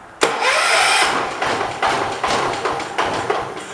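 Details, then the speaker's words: 1985 John Deere 212, sat 6 months with diesel mixed in gas: starter cranks in steady surges about three per second with no firing; no-start with choke frozen, key switch or spark also suspected. "Good try. Choke's frozen conveniently. I don't think we can get to it."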